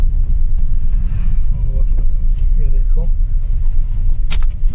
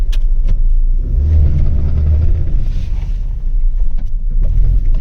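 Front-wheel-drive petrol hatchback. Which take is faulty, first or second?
second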